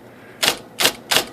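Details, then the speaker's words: IBM Selectric typewriter, motor recently flushed: loud thumping on certain characters shakes the bench; the rotate arm strikes the case because a mounting bracket sits low. "even thumping louder shake them whole shaking the whole bench and machine but I actually know what's wrong with this"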